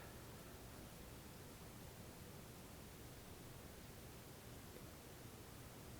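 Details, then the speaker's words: Steady, even hiss of the noise floor with a Shure MX418SC mic into a Behringer MIC2200 tube preamp, Mackie ProFX6 v3 mixer and Focusrite 2i2; noise about -55 dB; owner suspects the hiss comes from the microphone or the preamp. "I still can hear but I think the noise is coming from either the microphone or the premium"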